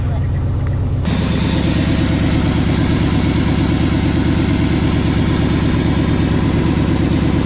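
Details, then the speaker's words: 1980 Chevy K20 4x4 with freshly rebuilt QuadraJet carburetor and new fuel filters, warming up after first start: steady, fast, even idle that stays up; idle too high, vacuum leaks suspected and to be checked, carb idle circuits tuned later. "Idle's a little high. Let me check for some vacuum leaks and mess with that a little bit."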